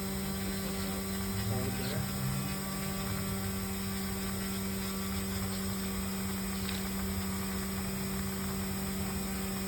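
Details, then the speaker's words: Electric UAV motor on a test stand, prop at about 25–33% throttle: steady motor drone and low hum with a thin high intermittent buzz, something vibrating, source not identified; a rattle also noted. "A little hear a little intermittent buzzing. So something vibrating, but I think you're okay."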